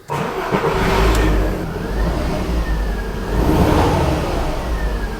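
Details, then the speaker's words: VW Beetle V5 Sport, about 20 years old, after adding Forte motor flush: engine starts, revs up and down smoothly with an even note, no knocks or misses; much smoother than before. "that sounds really good that sounds really really smooth like really smooth compared to what it used to be"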